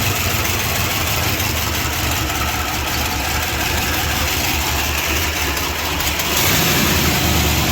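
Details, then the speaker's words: '78 Newport bought at auction and long sitting, running on its own fuel for the first time after a fuel pump replacement: rough idle with a fast light ticking lifter chatter, about three ticks a second; it idles poorly and dies in gear. "Well, cool. It sounds good other than that chatter."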